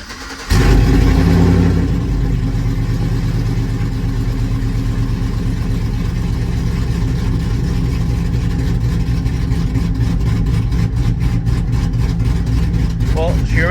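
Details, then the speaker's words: Cammed LS Tahoe, slightly warm start after new coils, following earlier plugs, wires and O2 sensor, for a misfire: cranks and catches quickly, settles into a steady lumpy cam idle without the earlier heavy misfire shake; smoother, on all cylinders. "sounds a lot better at idle. And it's just a cold start. I mean, it's a little warm, but it already sounds better and feels smoother cuz when it was start, it was like shaking like bad."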